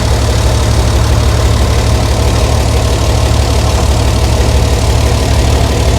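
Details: 60-year-old International Harvester 6x6 army tipper, Perkins 6354 diesel, sat about 10 years, running while testing a very heavy clutch and trying to get into gear: deep, steady idle with an even low thrum, no knocks or misses; running smoothly.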